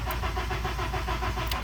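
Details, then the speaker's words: 2005 Honda Accord cranks but won't start: steady starter cranking about seven pulses a second, engine never catches; no spark, sprayed fuel didn't help; ignition coil relay terminals loose; car had shut off while driving; traced to the ignition coil. "i had no spark i'd spray fuel in there of course it's not going to work because there's no spark but it ended up being this ignition coil"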